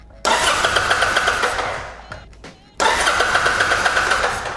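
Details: Kawasaki Drifter 800 (VN800E) after its sabotaged wiring harness was repaired: two bursts of even cranking around four beats a second that never fire; no spark, and the ignitor was later found faulty and replaced.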